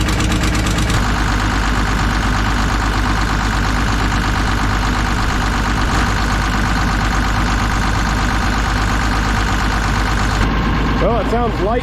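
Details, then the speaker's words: Kobelco SK250 excavator, believed 2006, diesel, just started after exhaust manifold replaced; steady low idle, even beat, no dropped pulses, warming up; sounds better than before, normal idle. "better than it did before we'll give it a second to warm up here and then we'll throttle it up see what it actually sounds like"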